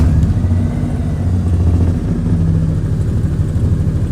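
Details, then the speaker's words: Maruti 800 before silencer repair, engine started and idling: loud, deep throbbing rumble from underneath with strong vibration felt inside the car. Blown/faulty silencer (muffler), later repaired at a workshop. "Car का शोर क्या आप मुझे सुन सकते हैं? . मैं तुम्हारा हूं। बाहर से प्रदर्शित हो रहा है। कंपन देखना। बेहद भयानक! कंपन। यह आवाज पर ध्यान दें। नहीं, नीचे से। आवाज आ रही है।"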